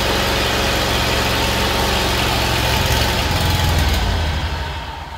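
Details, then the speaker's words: Kohler Command Pro 25 (CV730) twin on a Great Dane Chariot zero-turn starts and runs at a rough idle for a few seconds, then loses speed and dies; fuel delivery is to be tested next with brake cleaner at the intake. "Okay, it cuts off. All we've got to do is figure out why."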